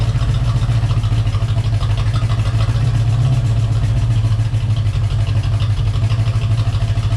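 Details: Corvette just after installing a Hypertech chip, revved up: deep, loud idle with a fast, even ticking riding on top at engine speed, likely from a noisy lifter.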